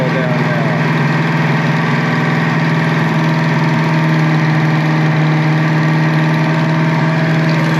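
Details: Foxbody V8 idling after refitting the intake pipe; steady, even idle with a smooth low rumble, no stumble or hunting; idling perfect.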